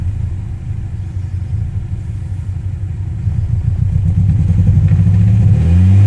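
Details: 1994 Honda Prelude with JDM H22A swap and 5-speed, started after engine bay wash with degreaser: low exhaust rumble uneven and stumbling as revs climb; suspected misfire, not confirmed.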